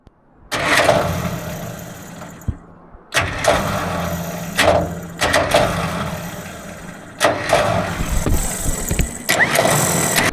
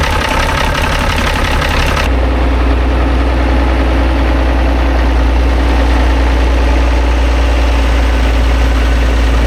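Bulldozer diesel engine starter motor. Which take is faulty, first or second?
first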